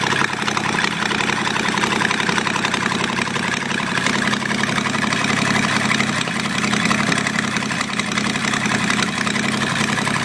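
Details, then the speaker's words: 1971 Jeep CJ-6 with a stock Buick 225, hot-wired, first run after purchase with no exhaust manifolds: loud, raspy, crackling with sharp uneven popping straight from the ports. Open exhaust from the missing manifolds. "But I did hot wire it, got no exhaust manifolds on it."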